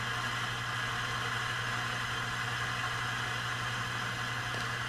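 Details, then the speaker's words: Heathkit T-3 signal tracer on low-gain setting: constant hiss over low mains hum with faint crackles and slight pitch wander; a noisy internal component is suspected. Hiss and crackle. "And I can also hear a little bit of crackling and hissing in there, so it sounds like there might be a noisy component in here."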